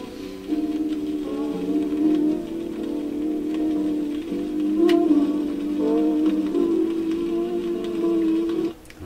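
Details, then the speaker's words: Seabreeze Model 968 record player playing music: pitch slowly swells and sags in a regular wobble each revolution; the record is off-centre, so groove speed under the needle varies, causing wow. "So the wow is because the record is off center, and even though you know, the speed of the platter is the same, as the record goes off center, when it's farther out here, more of the record passes under the needle in a given period of time than further inside"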